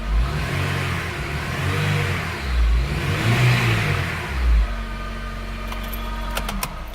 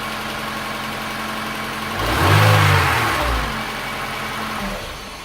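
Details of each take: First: Honda Integra DC5 base / Acura RSX revved in neutral: a thin whine over the exhaust that climbs and falls with RPM, still present after swapping the alternator; traced to a failing A/C compressor bearing. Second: Honda Integra DC5 / Acura RSX base model with whine, alternator already swapped: serpentine belt removed, engine started briefly, revs then settles with no whine, so noise is in power steering pump, water pump or AC compressor.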